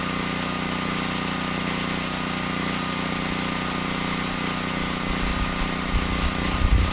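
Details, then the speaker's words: Generac XG8000e generator, 407cc GH410 engine with clone carburetor, after an AVR swap: hard to start and running thin and slightly uneven with rough bursts, lean; partial choke smooths it, so the carb needs reworking. "I'm not sure what changed but the carb is not running the engine very well it's actually running pretty lean it was hard to start"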